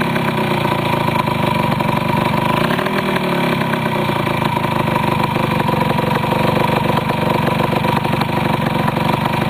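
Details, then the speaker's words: Restored 1973 Yamaha CT175 two-stroke with rebuilt carburetor, just started: light, busy idle staying even, with one brief throttle blip and clean return; healthy running. "we'll do a quick start let you listen to it for a minute this is one of my better starting machines in my house I don't think I've got anything that starts as well as this does"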